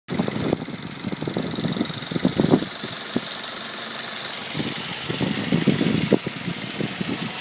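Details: Mazda 3 2.0 idling with irregular light tapping knocks over a steady hum, louder in bursts. An engine knock whose cause is not yet pinned down.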